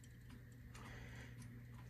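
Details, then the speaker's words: 1958 Motorola 5K23B-1 "Golden Voice" console phonograph: low motor hum with uneven ticks about twice a second as a worn idler wheel, likely with a flat spot, struggles to drive the platter; skipping badly, idler needs replacing. "um oh yeah it's really having a hard time isn't it so we need to replace the idler um that is a given"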